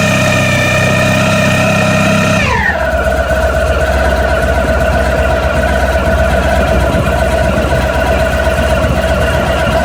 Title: ST1100 engine rattling noise - better video